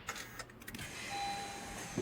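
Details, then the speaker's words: 2017 Honda CR-V at about 160,000 miles with a newly replaced battery: brief light whir of the starter free-spinning with no engagement clunk and no cranking. The starter drive isn't meshing with the flywheel. "yep you can't even hear engage the flywheel before it cranks it just spins"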